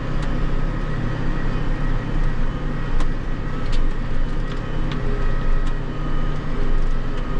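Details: John Deere 8345R tractor diesel idling; a failing fan clutch gave a rod-knock-like sound at idle without throwing codes, the fan suspected over engine. Deep, even idle rumble with no knock or tapping. Normal idle.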